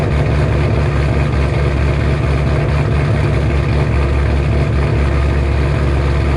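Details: 2007 Shelby GT500 supercharged V8, first cold start after installing L&M NSR camshafts with Venomous Tuning tune: deep, loud, steady idle with heavy low rumble, no knocks or rattles; idle expected to drop lower when warm. Normal cammed idle.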